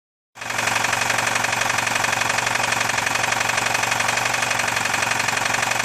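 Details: VAZ 2109/2115 engine running: steady, sharp metallic knocking about three per second rides evenly over the engine; connecting rod knock.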